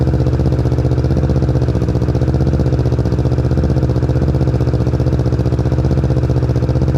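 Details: 2020 Kawasaki Ninja 650 ABS with newly installed Akrapovic exhaust: deep, steady burbling idle with even pulses and no misses or ticks; twin runs cleanly.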